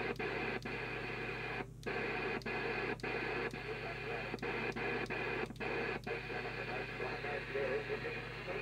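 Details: Skiptech TI4000FM UK CB27/81 mobile CB radio from about 1992, missing its display board, on the aerial after servicing adjustments: steady receiver hiss with faint signals and regular clicks; receiving properly, with excellent sensitivity.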